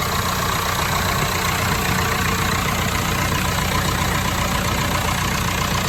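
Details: Lincoln welder engine, over 30 years old, after an oil filter service and bleeding air from the fuel system: even, steady chug with no hunting or surging; normal idle.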